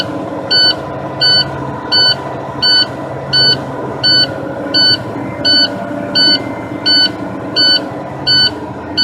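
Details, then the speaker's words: Big-rig truck during an air brake pre-operation inspection, just started after the brakes were pumped down: shrill warning beeps about every 0.7 seconds over a low diesel idle; the low air pressure warning buzzer is still active. "warning Buzzard still buzzing man cut that key off that's driving me a little bit insane"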